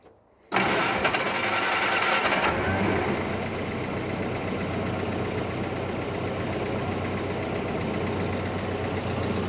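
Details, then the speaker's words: 1946 Jeep CJ2A flat fender being checked for a clutch that won't disengage: engine started in neutral with the clutch held in, catching after a brief crank and settling to a steady, even idle with no knocks. Pressure plate spins and the throwout bearing engages and disengages. "All right, everything's spinning nice. Pressure plates spinning. Throw out bearing is engaging and disengaging."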